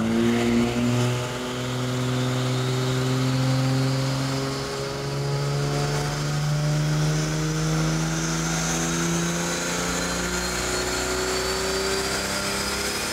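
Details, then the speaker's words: 1964 Ford flatbed with turbocharged Ford 300 inline six on a chassis dyno, full pull at 10 psi boost, lean fuel trims, about 5.87 rear gear; smooth climbing pitch with rising turbo whistle, no misses or knocks: healthy under load. "but when that thing start boosting you're just oh yeah the same thing on the engine dyno yeah it just takes right off it sounds like it's getting ready to just like go to the moon"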